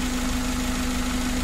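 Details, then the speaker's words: 2012 Suzuki Carry 1.5 injection after repair of an overheating fault with a corroded engine block: smooth, even idle after almost 1 hour running. No longer overheating, coolant no longer spurting, temperature gauge normal. "dan mesinnya ini halus dan mesin ini Sudah sembuh teman-teman Sudah tidak mengalami overheat dan airnya itu sudah tidak meloncat lagi sudah tidak menyembur ke atas dia sudah diam pada saat kita hidupkan"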